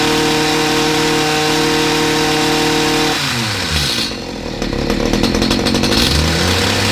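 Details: Stihl HS45 two-stroke hedge trimmer, reported hard to start: high buzz holds steady, drops smoothly off throttle and picks back up cleanly; runs fine, hard starting thought due to spark plug half hanging out.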